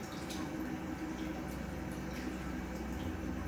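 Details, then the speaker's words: Single 2000 GPH pump on a Kings 12Ah power pack for a highbanker, drawing just under 7 A at around 12 V: quiet steady hum with water gurgling, no surging, running smoothly under constant load. "around 12 volts. This thing's going to fluctuate a little bit, but it's pretty steady there, 7 amps."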